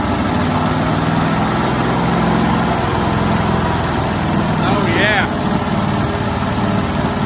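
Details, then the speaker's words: 1971 International 1310 grain truck V8, long-sitting, fed gas via the bowl with a bad accelerator, idles with a steady, even, smooth low rumble and no knocks or misses; normal idle. "oh yeah sounds good i mean title time blowing all the all the mice out of there"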